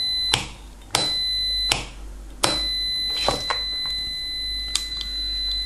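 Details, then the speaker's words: Frequency-driven buzzer fed by the small output frequency of an ESR meter: steady high-pitched tone near 4 kHz with a few sharp contact clicks. The buzzer works correctly on frequency drive. "tal como podéis oír Este zumbador funciona correctamente y funciona por frecuencia"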